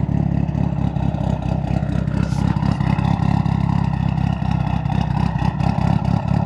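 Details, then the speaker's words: Turbocharged engine idling steadily just after installing a Tial blow-off valve, with a few gentle throttle blips that settle back evenly and no misses. It now idles; the owner believes a vacuum leak without the BOV had prevented idling. "ah I'm so happy it sounds good turn that thing off real quick but I'm happy it sounds good I'm happy it actually idles now"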